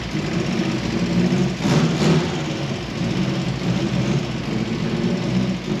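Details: Mk1 Fiesta fitted with a replacement Zetec engine after a broken camshaft, first run; idle control valve and injector plugs swapped to cure over-fuelling and ticking. Even, steady engine hum with light whir, no ticking, brief swell near two seconds; healthy run.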